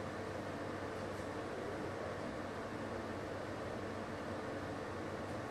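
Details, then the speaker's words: LG portable air conditioner on F3 maximum fan with the compressor running, recorded from a distance: a steady airflow rush over a low compressor hum with no rattles or surges. This is normal running at maximum fan speed. "compressor no máximo ventilador no máximo e nós tivemos uma leitura aí de 59 desse 10 aproximadamente da Então esse é o nível de ruído que você vai ter aí no seu imóvel na sua residência tá"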